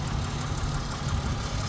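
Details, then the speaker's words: 2006 Pontiac G6 3.5 V6 at idle, engine bay: even, low, steady rumble with no knocks, misses or squeals; runs decently, though a P0128 check engine code is stored. "Here is the 3.5 motor. Sounds like it's running pretty decent."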